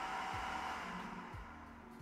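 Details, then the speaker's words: Creality K1 3D printer side part-cooling fan at full speed, unmodified, about 67–68 dB total: loud, steady airy whoosh with a constant mid-pitched hum, no rattle or buzz; normal fan running. "so we got about 67 or 68 DB in total that is where we stand with the side fan"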